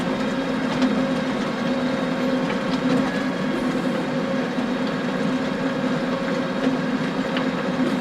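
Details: John Deere tractor pulling a power harrow in very wet conditions: steady drone with sharp, irregular clacks every second or two as stones strike the harrow tines.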